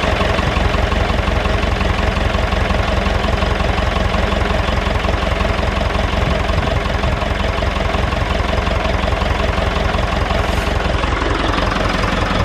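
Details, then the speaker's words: David Brown 996 diesel tractor, sitting about 10 years, first run after storage: steady, even chug of about three beats a second with no misses or knocks; normal idle. "she is it's a runner"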